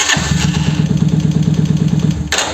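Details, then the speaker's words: 125Z motorcycle, hard and slow starting with an intermittent cracking/thumping noise while cranking, suspected Bendix; rough cranking with harsh thumps about eight per second, engine stops without catching; worn starter motor. "Bueno, como verán, de repente se alcanza a escuchar el tronido que hace."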